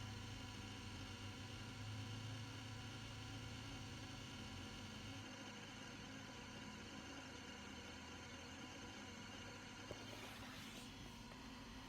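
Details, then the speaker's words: Truck no-start: constant flat electrical buzz with key on, no cranking, check engine and battery lights flickering; battery tested 13.8 V but drops near 9 V, cables checked, cause of the buzz not found. "and then it will have the most obnoxious buzz there is."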